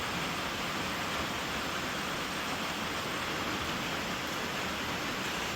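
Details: 1995 Volvo 940 B230FT, leak-down test with shop air held around 70 PSI, engine off: constant airy hiss of air bleeding past the piston rings into the crankcase; rings worn, rebuild or replacement considered.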